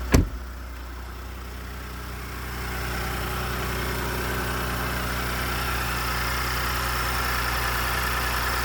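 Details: 2018 Ford F-150 with 2nd-gen 3.5 EcoBoost V6, 29K miles, just after startup; idle settles into an uneven light rattle and knock about four per second over the low rumble, source not pinned down (owner links startup rattle to cam phasers, unconfirmed).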